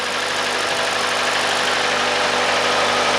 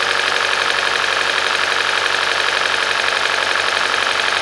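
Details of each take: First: Hyundai/Kia 2.0 engine after timing chain job, restarted: smooth, steady idle with an even beat and no stumble or miss; runs cleanly on all cylinders. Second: Hyundai/Kia 2.0 engine, first start after timing chain, sprocket, VVT solenoid and exhaust camshaft replacement, key cycled to prime the pump: idle with faint light ticking and uneven stumble; misfire worsens then smooths during relearn, later traced to a failed coil.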